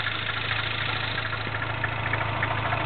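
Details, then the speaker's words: MINI Clubman S, 1.6 turbo, 6-speed, Magnaflow cat-back exhaust, at cold idle: a light, fast metallic rattle at a few beats per second. Owner suspects the cam timing chain tensioner or a valve tap; source unconfirmed. "but that little like rattly I'm pretty sure that that's the uh something to do in here with the timing for the cams the tensioner"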